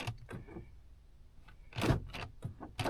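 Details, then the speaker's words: 2010 Honda Odyssey with one door lock actuator failing, recycling at every stop; the rear locks work and the owner suspects a mechanical jam. Weak clicks and buzzes with no solid lock thunk. "and it won't lock."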